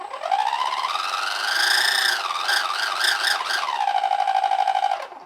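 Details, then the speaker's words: ARRMA Fury RC truck with a worn-out spur gear, before replacement: a high electric whine rises and falls with throttle, wavering and rough over the top, from the worn spur gear. "Let me show you what a bad Spur Gear sounds like. Now listen, this is what a bad Spur Gear sounds like."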